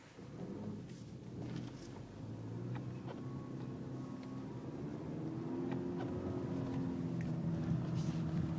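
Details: VW Scirocco 2.0 TSI 211 PS with manual gearbox, engine drone rising with faint irregular ticks and clunks as the throttle is applied and released; weird noise from the gearbox, cause unknown to owner.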